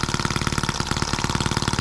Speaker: oh we had it looks promising that crazy thing runs pretty good a bit fast but listen to it before it was great